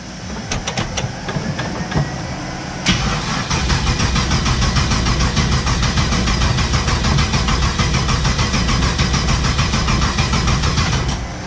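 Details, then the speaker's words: Turbo LS car after crank sensor replacement, ignition box unplugged: starter spins strongly at about three pulses a second but the engine never fires. No start until the box is plugged in. "it's not gonna start til I plug the box back in oh yeah yeah yeah just saying starter's turning really well yeah these boxes work a whole lot better if you actually plug them in"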